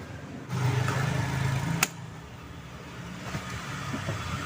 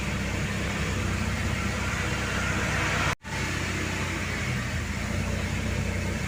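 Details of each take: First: Mercedes-Benz R-Class W251 at idle: steady droning whine with no knocks; power steering pump whining from low fluid, topped up to the dipstick mark. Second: Mercedes-Benz R-Class W251 after topping up low power steering fluid and reassembly: steady even engine hum with no droning or moaning, power steering now sounds normal.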